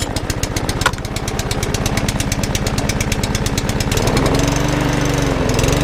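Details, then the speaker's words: Tesco-range lawnmower with a primer bulb, broken throttle arm and apparently some compression: single-cylinder engine chuffs at a steady beat, speeding up after four seconds, slightly rough; owner thinks it needs a service, probably the carburettor. "that runs that just wants a frock I will sort out and a good service as well probably carburetor"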